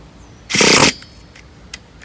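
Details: Traxxas T-Maxx nitro RC truck, newly swapped 3.3 engine, first start attempt with easy-start: short half-second starter whir then silence, never fires; engine had kept freezing up on starting.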